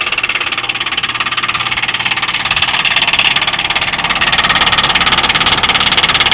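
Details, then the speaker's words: Heat pump outdoor unit: loud, fast, even knocking with hard metallic clatter over the hum; owner was told the defrost is causing it, cause unconfirmed. "this noise is so annoying we have to listen to this day in and day out and I'm told that this is the defer that's making this noise on this machine"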